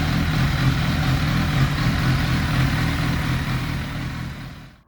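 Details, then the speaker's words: 1991 Kawasaki ZXR750 with twin Toyota Supra turbos, after setting less idle throttle: steady, even low burble at idle with no misses or knocks, settling smoothly; probably the best idle it has ever had. "very happy how the bike runs down low it probably hasn't ran that good in its whole life at idle"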